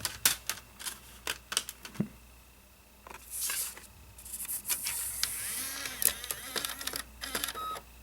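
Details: 2009 Mac Mini DVD drive reading dual-layer Leopard install disc: repeated sharp clicks and short whirring spin-ups as it keeps seeking, eventually reads; owner calls drive weak, may replace it; optical drive repeatedly seeking.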